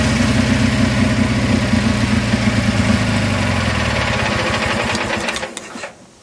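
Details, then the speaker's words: Craftsman GT6000 Kohler V-twin mower after new fuel pump and rebuilt carburetor, governor not hooked up: screaming at high, unsteady revs with a sizzling sound, then winding down at shutoff; over-revving without governor. "I probably should look into hooking up the governor before I blow a head gasket. Hear it sizzling."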